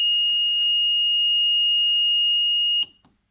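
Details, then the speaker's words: Overvoltage safety circuit prototype under test: the supply ramps up past about 108 V and the circuit trips. A loud, steady high-pitched buzz for nearly three seconds then cuts off; the overvoltage protection buzzer alarm, very annoying. "الصوت حقا مزعج جدا."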